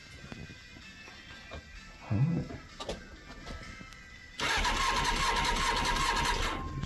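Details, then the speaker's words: 1999 Honda Hornet 600, a recovered stolen bike with an aftermarket ignition barrel; the starter spins it with a steady whirr but it never fires. No spark because the anti-hotwire pink wire needs a dropped voltage, later fixed with a zener diode and resistor. "That's definitely no spark in it."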